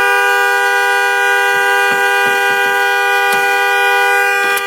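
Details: Car horn stuck on at 2:30 am on a freezing December night, not the alarm, still sounding after the car is turned on: loud steady blare without a break, a few clicks over it; horn stuck on.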